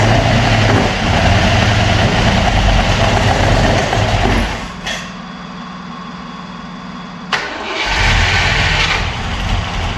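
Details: Opel Manta hatchback with Ascona front end, sat about 20 years, first start on old plugs: catches and runs unevenly with a stumbling beat, nearly stalls, then picks up. Misfiring; idle, points and distributor to be checked.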